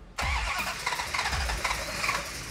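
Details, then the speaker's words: Hemi second-generation Dodge Charger cranking after the gas pedal is pumped: starter spins the engine freely with even pulses but it never fires; the mechanic thinks ignition timing is too retarded and plans to advance it. "okay I think it needs more timing when you hear an engine crank so easily and it doesn't quite want to fire most likely the timing is in a position"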